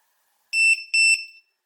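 Two sharp, high-pitched beeps about 0.4 s each with a short gap, the checker's normal chirp when the balance lead connects.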